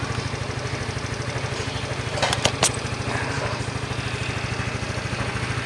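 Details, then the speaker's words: Yamaha Mio i 125 (M3) test fire after new rocker arms fitted: smooth idle, soft even beat, quiet head, slight casing vibration, brief clatter midway; no valve tapping, rocker tick gone. "Ayun, nakasalpak na yung bagong rocker arm. So, test fire natin. Yan, pinong-pino na itunog."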